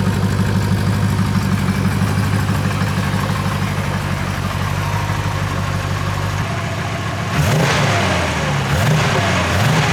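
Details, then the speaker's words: Rebuilt Porsche 928 V8 after oil change to better oil: smooth even idle then clean throttle blips; the valve tick previously heard by stethoscope, owner thinks around cylinders 7 to 5, is completely gone. "not a complicated thing to do I know but wow does that engine sound smoother before I had the tick tick tick tick all the time from one of the the valves I think it on 7 to five uh with my stethoscope I was listening and I could hear it ticking away uh that's completely gone"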